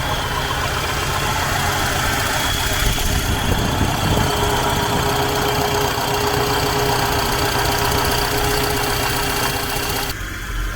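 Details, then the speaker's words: International 1210 truck V8 with a newly installed Holley 2300 Super Sniper EFI: steady, lumpy idle with a faint constant whistle. The tune is set close to where it needs to be, and it runs smoothly and healthy. "sounds like you got it set pretty close to where it needs to be"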